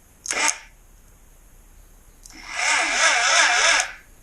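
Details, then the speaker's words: 1981 Suzuki GS650GL during rebuild teardown: short thin starter whir, then a labored spin that dies without firing; the battery smells of rotten eggs, so a failing battery is starving the starter. "turns not well okay it's not really turning okay it started to and then it stopped and it's the battery that I'm smelling so the battery might be shite"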